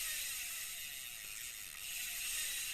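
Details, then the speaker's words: Vintage Japanese-made Olympic LX-2500 spinning reel (about size 4000), used but working: fast, light, even ticking follows the handle when cranked forward, the anti-reverse ratchet engaging normally; reel turns smoothly forward and back. "มันเดินหน้ามีเสียงแบบนี้นะครับเห็นแล้วโบราณครับรอกสะสมเป็นหมุนด้านหน้าจะมีเสียงกันกับแบบคันกลับทำงานปกตินะครับ"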